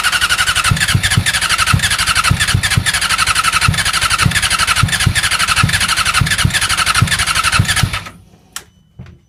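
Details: R6 won't start: the starter spins the engine with even cranking pulses for about eight seconds, then stops; it never catches or fires. Crank, no start.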